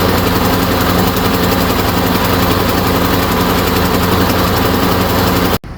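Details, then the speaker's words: Briggs & Stratton push mower on a Yard Machine, compression 60 psi, after valve cover gasket replacement; ragged uneven popping three to four beats a second then abrupt cutout, wouldn't restart; cause found to be a sheared flywheel key. "It started first pull, but it really didn't sound right, and it never started after that. Come to find out, it had a sheared flywheel key."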